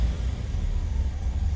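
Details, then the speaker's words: 1985 Chevrolet Caprice Classic, 5.0L 305 V8, about 152,730 miles, warm, before repair. Off the throttle, a low, lumpy idle surges and sags unevenly, close to stalling. The owner suspects a faulty EGR valve, which also causes stalling at stops. "so if i back my foot off it idle is low and it wants to stall and here's real rough"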